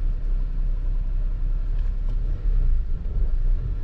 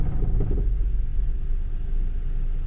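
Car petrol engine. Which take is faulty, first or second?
second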